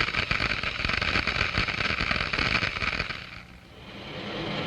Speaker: the water in the throat where the pressure is lowest begins to boil small bubbles are formed these are cavities filled with cold steam and other gases diffuse from the liquid the noise is generated by the collapse of these bubbles as they move into the higher pressure in the